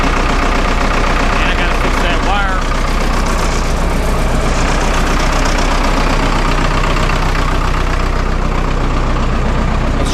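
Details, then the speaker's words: Vermeer 1800 wood chipper diesel, first start after sitting about four years: steady even idle with deep regular beat, no knocks or misses. Normal diesel idle. "so yeah like I said it does run pretty good"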